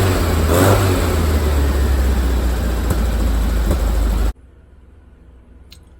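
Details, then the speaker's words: VW Bus with freshly tuned and synchronized dual carbs and an apparently stock original VW crank pulley replacing problem aftermarket pulleys: deep, even burble revving cleanly and settling smoothly, no misses or knocks; healthy running. "we're going to start it up and listen to it there may be some tweaking left to do like I said I just tuned it"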